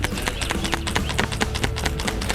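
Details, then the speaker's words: Genuine PCV valve (part 26740-2G000) for 2012 Hyundai Elantra, over 100,000 miles, shaken by hand: crisp irregular clicks of internal spring rattling freely; valve good. "makes that little sound that's the spring on the inside that opens and closes the valve"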